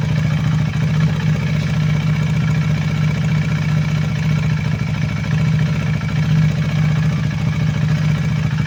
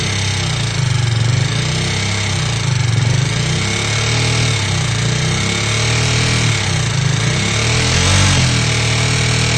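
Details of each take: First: KTM Duke 390 V2 after replacing intake and exhaust camshafts and two rocker arms (oil passage had been blocked by gasket maker), valve clearances in spec: steady even single-cylinder idle with a faint light valve tick, normal for KTM; healthy. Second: KTM Duke 390 V2: loud metallic clicking and rattling, louder on the left side, rising with revs. Gasket maker blocked the head oil passage, so the nozzles stopped spraying the camshafts; valvetrain clatter from oil starvation.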